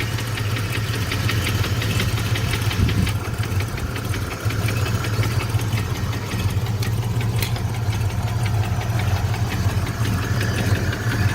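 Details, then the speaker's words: Fox-body Mustang convertible (LX converted to GT, Holley carb, sat over 6 years): rough idle with uneven knock, louder inside the car, gone by about 1500 rpm; oil pressure good but owner says it drops after driving. Cause unconfirmed. "okay sounds definitely worse inside when I give it rpm he goes away"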